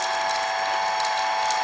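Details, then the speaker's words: Hobart A200 food mixer after repair: steady high whir with even gear mesh and light ticking, no grinding or knocking; normal gear drive operation, fixed. "because when I turn it on now, I don't know if you can see this, but it does what it's supposed to do. So I think it's fixed."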